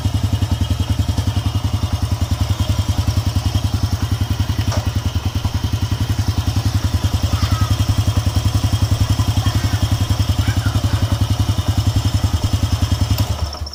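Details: Honda EX5 Dream single-cylinder motorcycle after reassembly and fresh engine oil, rough loud noise traced to a loose screw: steady even low idle thump with no rattle or clatter; normal idle after repair.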